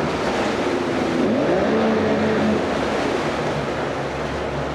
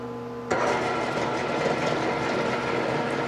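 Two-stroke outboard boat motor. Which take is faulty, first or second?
second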